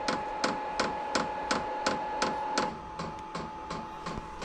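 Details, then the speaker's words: Vevor 8 kW diesel heater newly installed in a Kawasaki KRX 1000, first startup without manual priming: crisp, even ticks about three per second over a faint hum; dosing pump priming normally. "now it's just pumping fuel, priming that fuel pump."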